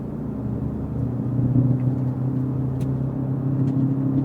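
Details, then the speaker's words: Car driving at about 35 mph: steady low droning roar growing slightly louder, a bad wheel bearing hub assembly, audible even from about 25 mph. "There, it's really, really prominent there, about 35 mile an hour."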